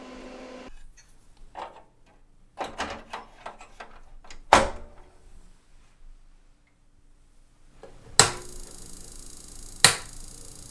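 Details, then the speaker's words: PCs Limited (Dell) 286 power-on with cards reinstalled one at a time: sparse clicks then two sharp loud pops; supply overcurrent from shorted tantalum capacitors on the faulty I/O card. "The I/O card is definitely faulty, but let's try the vocal synthesizer."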